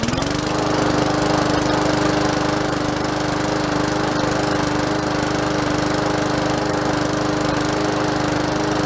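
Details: Free curbside MTD push mower, first start after oil change and tank cleaned of sediment with fresh gas, three primes: fires quickly and settles into an even, steady putter at constant speed, no misses or knocks; running healthy.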